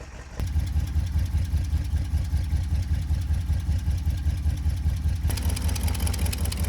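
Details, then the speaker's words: 1972 International Cargostar, running several minutes: steady, even low idle pulses, lifter clatter quieted down, no top-end tapping; idling smoothly though smoking. "um it's idling pretty smooth also it's smoking but for now I'm just going to see if she'll keep"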